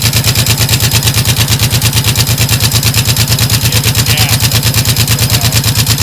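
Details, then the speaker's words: 2006 Honda VTX1800 V-twin, top-end ticking after dealer work (rear adjusted): steady lumpy idle with fast even light tick; seems to come from the front cylinder, dealer blamed exhaust gaskets. "sounds like the front one doing it yeah that's what I think too it sounds like it's coming from the front"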